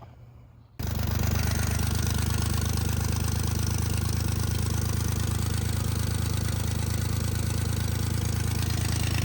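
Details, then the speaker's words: 1999 Lexus ES300 V6 with check engine light, cylinder misfire: uneven idle with loose irregular pulse about four times a second; owner suspects cheap plugs and coils; rear exhaust manifold gasket gone, power steering pump failed and leaking. "Okay, so what's going on here is that it has a misfire due to cheap plugs and coils, hopefully. The rear exhaust manifold gasket is gone, and the power steering pump has failed spectacularly."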